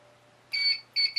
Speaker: And you'll always hear the beep from the inverter when it's powered on, so it's a good indication that things are working well.